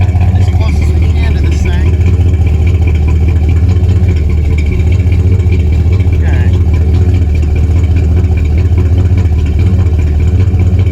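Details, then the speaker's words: 1977 Chevy C20 V8 truck, mic at the exhaust: deep, uneven idle with a loping stumble and miss, with the distributor at its as-bought setting, i.e. retarded timing, before advancing the timing by ear. "so that's the sound with it uh with the district or the distributor turn where it is you can hear the miss"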